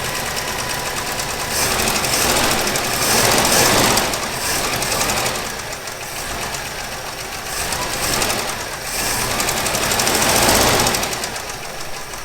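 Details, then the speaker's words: 1964 Chevy Impala, 283 V8, off the road 28 years, first idle on its own fuel pump: rough idle with a light, quick ticking from the valvetrain; suspected lifter noise from roughly 30-year-old oil. "i do hear a little lifter noise up top might have something to do with the 30 year old oil that's in"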